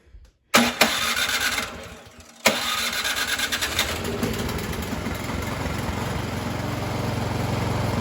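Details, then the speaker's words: Troy-Bilt 2410 snow blower, one year old, stored all winter, ran rough at full throttle: after carburetor cleaning, rough start and brief stumble settle into a steady, even full-throttle run with no misses or surging; normal running. "all right once i put that gas all the way up it was running pretty smooth"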